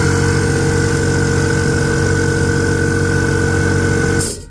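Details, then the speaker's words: Older Parkside PKO24B2 24-litre non-silent compressor: loud, steady motor drone with constant hum and faint high tone, winding down at the end; too loud for livestreaming but normal running. "you can hear the problem. During a live stream, that's a bit too loud."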